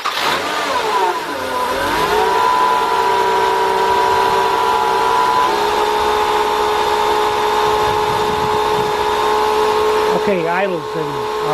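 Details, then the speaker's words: 2000 Nissan Maxima with code P0505 idle air control malfunction, after throttle body service, cold coolant: starts and settles into steady even fast idle with clean whirr, no stalling as before; healthy cold high idle. "picked right up the coolant is cold so it's got a high idle we're going to let the vehicle warm up Let the idle come down"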